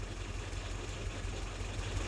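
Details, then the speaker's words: WWII Willys jeep tuned with a Colortune, idle mixture screw turned out half a turn: deep, slow, lumpy labouring idle with orange flame; running too rich at idle. "That's half a turn. And it's quite orange and the engine's lumbering a little bit."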